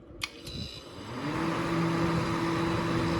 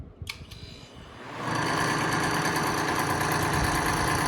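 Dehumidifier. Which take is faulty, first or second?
second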